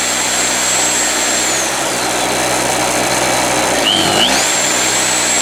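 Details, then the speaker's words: Harbor Freight Storm Cat 2-cycle generator powering a drill: high buzzy drone holds speed, brief dip and recovery as load kicks in, smooth once warm. "So she's running nice now. There's no smoke now. It just smokes like a bandit on startup."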